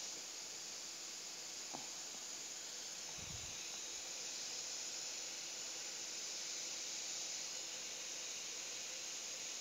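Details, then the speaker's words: Kulkas (refrigerator) new but not cooling, capillary tube cut and tested: steady high airy hiss with no sputter; capillary flows freely, blockage was in the filter where ceramic beads clogged the capillary inlet. "Oke ini habis Oke Anda lihat bunyinya saya akan tes sekali lagi tuh berarti kapiler lancar"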